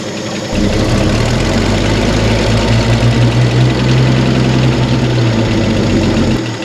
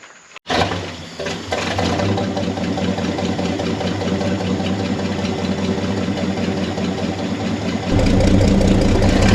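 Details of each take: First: Chevy C30 pickup inline six, off the road since 1978, first run: steady low idle with light, fast, even tapping like valvetrain tick; good oil pressure, light off, generator charging; cause not pinned down. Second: Chevy C30 pickup off the road since 1978, inline six: starts and idles evenly, then steps up to a faster steady run with a light tappet tick. Good oil pressure, charging, belt flapping slightly. Normal idle.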